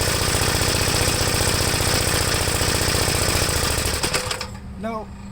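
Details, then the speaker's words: 1973 Gravely C8 single-cylinder tractor warming up after the air cleaner was refitted: fast, loud, slightly uneven thumping then shutdown; owner suspects the carburetor is set too rich. "maybe the carburetor may be set too rich right now but we'll try to crank it over now try to get it started and let it warm up i think it's running too rich"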